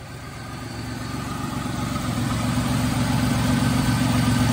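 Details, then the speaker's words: Flood-damaged Buick Riviera with 3800 V6, idling after firing right up: light, steady puffing tick from a small exhaust leak at the rear, maybe a manifold leak; engine otherwise runs great. "it's got a little bit of an exhaust leak at the back here I can hear it so that's that's not a big deal though the engine seems to run great"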